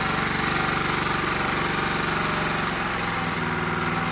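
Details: Honda GX270-type small engine, run on bottle-fed fuel, throttle a little under full: rapid even tapping about four per second over steady run; excessive valve clearance.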